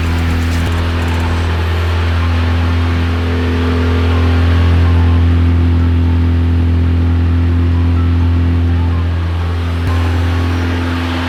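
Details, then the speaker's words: VW Golf Mk1 AWD (4motion) 1.8T turbo, first start after engine and gearbox refit with new clutch, flywheel and pressure plate, clutch not engaged: starts first try, even steady four-cylinder hum, firm low tone, no misses or knocks. "Okay, so at least it starts. I know this does not like I haven't engaged the clutch, but you know, at least it starts again. It started on first try very easily."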